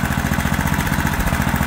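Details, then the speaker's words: Old 8 horsepower Honda single-cylinder auction engine, started after a little priming; thumps along with a steady, even low beat, no misses or surges; runs nice, carburetor replacement apparently not needed; normal running. "she's actually running really nice wellow I was thinking I was going to need a new carb on there that's not looking like the case she's are running our eight horse hondur is going and don't that sound nice"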